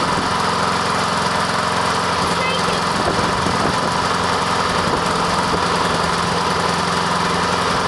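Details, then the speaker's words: Honda lawn mower cold-started with choke after sitting unused all year; small engine settles into a smooth even drone with steady firing, no misses or rattles, running normally. "listen to that thing purr isn't it beautiful"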